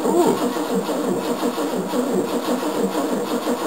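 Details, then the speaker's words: 1969 Mercedes W111 220Sb cranking, old battery about 6 to 10 years old: starter turns sluggishly in an uneven, labored churn and never catches; it used to spin over quickly; slow cranking from a weak battery. "battery does s tired still this thing used to spin over really quickly"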